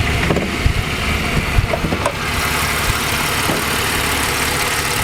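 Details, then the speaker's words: Ford AU Falcon engine after head gasket repair: head off, cleaned, new head gasket, exhaust and intake gaskets, new thermostat; after some clatter at the start, a quiet, even idle hum with no knocks or misses. Normal idle. "This is like the best part of the car, is the engine and you just listen to that engine, like it's just so quiet and so smooth."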